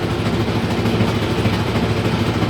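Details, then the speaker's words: Haier i-Pro Series 7 HW100-B14979S 10 kg washer, under 10 months old, light load, speeding up to 1400 rpm spin: heavy rough low rumble and clattering from deep at the back, once quiet; drum bearing failure suspected. "starting to speed up now this is the clattering sound that we've started to get it was really really quiet before you hardly heard it heard it going"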